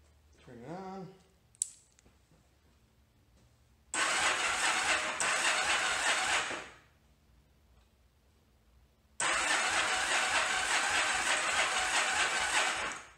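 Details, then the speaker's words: 1981 Yamaha Virago XV920 after carb rebuild and refit, spark confirmed: two long harsh cranking bursts without firing, starter straining and wires getting hot from high current; compression seems okay, cause not yet found. "sounds like crap so the starter motor is working very hard trying to get this engine to turn over"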